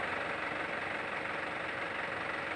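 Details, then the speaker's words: 2008 Isuzu Panther LS diesel at idle: quiet, even soft hum with no roughness or knocking, and no vibration felt by hand; very smooth, healthy idle. "ini sedikitpun Tidak ada getaran boleh Katakan Ya halus-halus betul suaranya halus betul getarannya"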